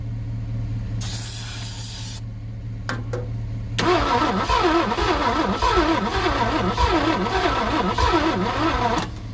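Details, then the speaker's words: 1967 Thunderbird with 428 V8, sat about 30 years, cranking after new coil and timing adjustment: steady rhythmic cranking about four turns a second with weak catches, one cylinder firing at most, starter seeming weak; cranks but won't start, fuel delivery suspected. "I thought you might have something there for a minute, but it was spinning a little faster. We were getting one cylinder to fire."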